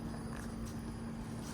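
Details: Ducane LYNX heat pump outdoor unit in heat mode, four-blade fan with Broad Ocean ECM motor on slow: steady, even low hum with constant tone, no knocks or rattles; running quietly.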